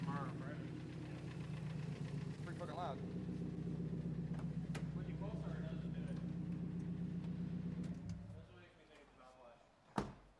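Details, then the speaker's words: Supra with a BorgWarner turbo and EMU Classic ECU during a dyno tune: quiet idle with a fast, fairly regular tick about four per second. Valve lash is suspected but not confirmed; fuel pressure later read zero. "it sounds valve lashy I thought that's what I thought from the start"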